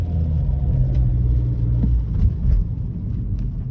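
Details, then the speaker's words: 2012 BMW 118i 2.0 M Sport Steptronic automatic, Euro 5, braking to a stop from about 20 mph within minutes of starting after sitting a day: low rumble dips and wavers unevenly as if about to stall; cause unknown. "Not sure if you can hear, but the engine kind of sounded like it was stalling then, like if you're driving a manual and you're slowing down and you've got to put your foot on the clutch if you're in first gear to stop it from stalling."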